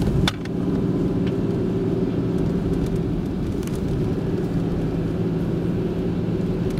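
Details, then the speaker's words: 1996 Oldsmobile Cutlass Ciera 3100 engine, knock sensor unplugged: even rumble pulling smoothly under load with no pinging or stumble, and about two degrees of retard. This confirms that false knock sensor signals had caused intermittent low power. "it feel feels good smooth acceleration and so we have no-knock occurring with the sensor unplugged"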